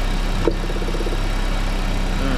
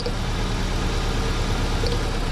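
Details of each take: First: After replacing ignition coil, plug cables and spark plugs to cure a misfire: smooth, even idle with a steady low hum, no stumbles or skipped beats; ignition firing cleanly, normal idle. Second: Engine at low idle with an uneven, lumpy beat under a steady hum as one cylinder fails to fire; misfire tested one cylinder at a time.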